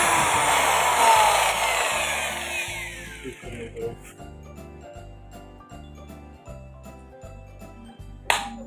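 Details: Marble cutter after new field coil install and bearing change: high steady motor whine holds evenly then coasts down cleanly with no rattle or grinding; healthy run.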